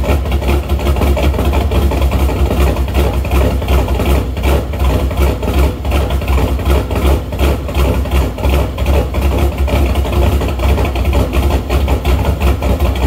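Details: Shelby after new MSD Street Fire 8mm plug wires, boots and plugs: lumpy loping idle about two and a half beats per second, rich until revved though it drives fine; owner suspects ignition problem, possibly distributor rotor, unconfirmed.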